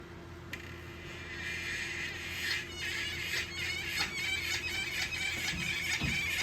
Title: 2021 Wahoo Kickr squealing noise